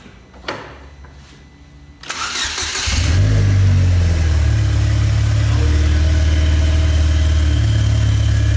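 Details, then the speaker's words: Salvaged car rebuilt as a custom kit car, starting with exhaust just fitted: brief crank, fires right up and settles into a deep steady run with throttle swells; runs cleanly, though boost sensor is bad so boost reading doesn't work. "Yeah, our boost sensor is bad, but that sounded sick."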